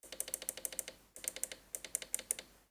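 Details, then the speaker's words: Rebuilt racing wheel's upshift and downshift paddles after screwing down: sharp, light clicks in quick bursts of about eight, crisp with no grinding; the sound is different but is just the micro switch, working normally. "up shift downshift it does have a different sound to it but that's just the micro switch"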